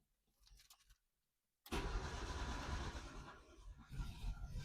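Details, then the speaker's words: Yugo, first start attempt on ethanol-free TruFuel with two-stroke oil: quiet start, then uneven starter churning with a few catches that never settle into running; fires but won't start. "Boys, I'm telling you what, she was close to being a runner there."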